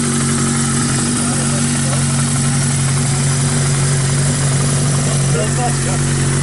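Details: 1982 Suzuki GS1100 first run after rebuild; steady, even four-cylinder idle with a firm low drone and no knocks or rattles. Normal running.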